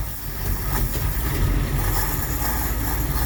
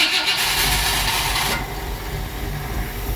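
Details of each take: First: 1959 Ford Fairlane Galaxie 500 V8, long-stored, running on gas poured in rather than its fuel pump: loud steady rumble, even beat, no misses or knocks; running well, carburetor condition unknown. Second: 1959 Ford Fairlane Galaxie 500: a harsh whirring grind for about 1.5 seconds while cranking. Valve-train noise was wondered about, but the starter acting up is suspected. It then ran well.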